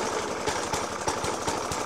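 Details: 1991-era Suffolk Punch 30S mower with a Dellorto FCH 20 carb: loose, lumpy idle with heavy, unevenly spaced bangs about four per second. Persists after a new spark plug, decoke and carb clean. Cause unknown.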